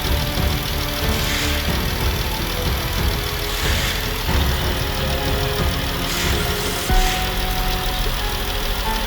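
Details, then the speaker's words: Jeep idling after water pump replacement for a rattling noise, coolant refilled, air intake sensor unplugged: steady, smooth low idle with no rattle or tick on top; the noise is gone. "as you can see oh this is running I was working on my second gallon of coolant I must have let a lot of it out but as you can also hear that noise is now gone"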